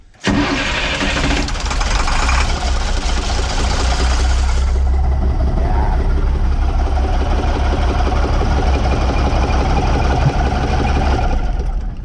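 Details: International DT466E dump truck, started with valve cover off to unplug injectors one by one; number two injector's tip broke off: heavy uneven idle with a rough diesel knocking beat, caused by the failed injector.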